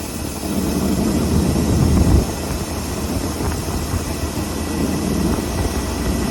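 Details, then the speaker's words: Ford F600 truck, carbureted V8 after Holley 4412S two-barrel tuneup, air screws adjusted and idle turned way down: low steady even rumble with no stumble or hunting; running smooth. "Okay. Right in there is where she's happy. She's still running smooth even though we got the idle way down."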